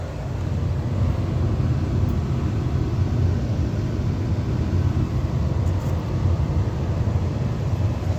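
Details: Furnace blower fan on a 20-plus-year-old heat/AC unit starting as the furnace heats up, on a no-heat call where the blower motor was replaced with a new motor: smooth, even low hum at steady speed, no rubbing or rattles; running fine.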